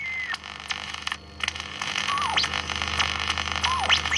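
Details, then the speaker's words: Valve radio tuning stations; static hiss with sharp whistles sliding down in pitch, quite loud: heterodyne whistle. "Heterodyning. Oh, it's better set a bit of drop, quite loud."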